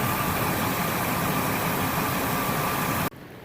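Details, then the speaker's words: Ford F-250 just after new engine installed, first startup: smooth even idle around 800 rpm (gauge estimate), steady beat, no knocks, then switched off; healthy. "And battery gauge is doing good, idling at about 800 or something is a guess."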